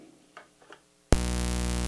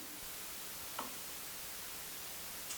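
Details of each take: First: Audio ground-loop demo with a dimmable-lamp noise source: front-of-house console buzz; pin 1 audio ground lift makes it worse, a loud steady mains buzz cutting in suddenly and holding constant. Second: Audio system demo with a dimmable-lamp noise source: console plugged into the same noisy ground as the noise maker gives only faint steady hiss and a few ticks, no hum; the noise is still there, but with no ground loop it is not heard.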